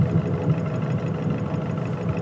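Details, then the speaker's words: Nissan Pathfinder/Navara YD25 diesel at idle, sensor on cylinder 1 injector; with that injector's control cut via Consult the sharp tapping disappears, leaving an even idle, confirming the knock is the injector, not the valves. "такие дела значит это всё-таки форсунка появился"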